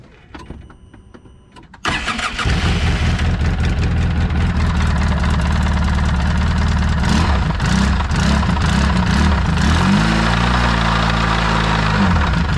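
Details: Polaris RZR 800 petrol engine cranks, catches, runs rough with steady deep knock under exhaust; first suspected worn clutch, noise persisted with clutch off; bad rod bearings, engine taken apart to fix.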